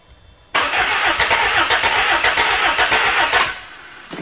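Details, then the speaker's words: Old engine from a motor pile, sitting 8 years, cold start with starter jumped to battery and electric choke wide open, catches on priming fuel, runs roughly about three seconds, then stalls with no fuel feed. "give her a little more Prime for a good time chok's wide open it's electric choke and I left it hooked up for a few minutes"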